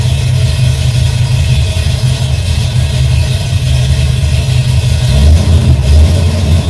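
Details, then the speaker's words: V8 with rebuilt Holley carb after fuel pressure regulator fix, cold start: deep, steady rumble with a smooth, even beat that picks up cleanly with sharp throttle response; normal cold start idle and rev. "That's what I call throttle response, baby."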